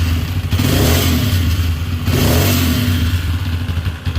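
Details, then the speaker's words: Single-cylinder motorcycle revving unevenly with a rough dragging clatter under the exhaust, rising and falling with throttle; attributed to the camshaft, with starter bendix rollers or bearing also named as a possible source. "tenemos una moto aquí en el taller que presenta un ruido extraño un ruido de arrastre vamos a ver qué es lo que pasó"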